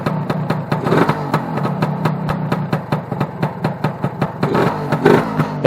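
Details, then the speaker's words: Newly built two-stroke being run in, cold just after the choke was taken off. Uneven, lumpy, burbly popping about four times a second; owner thinks it is running a little rich and smoky while warming. "oh she's a bit SMY I actually think she's uh running a little bit rich"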